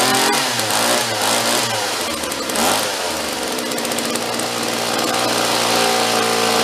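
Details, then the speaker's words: Vintage John Deere chainsaw rescued from a free pile, after pull-start repair, air cleaner off: steady fast idle with clean even two-stroke note, no misfire or stumble; idle still to be lowered, low and high carb screws to adjust. "sounds pretty good. We're gonna adjust it, get the idle down a little bit."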